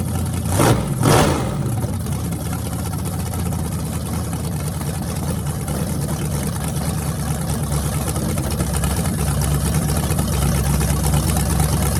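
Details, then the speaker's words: Freshly rebuilt small block Chevy 350 (355) for an OBS Chevy truck, on an engine run stand with open headers: two quick throttle blips, then a lumpy even idle with no knocking or ticking. Normal running. "is thing sounds mean as can be so I'm just excited to uh be able to let you guys hear it"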